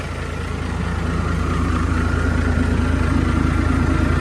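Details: Diesel engine after fuel system cleaning and bleeding, weak power blamed on dirt in fuel; deep even idle pulsing about three times a second and slowly settling, no miss or hunting; fuel now flows freely; normal idle.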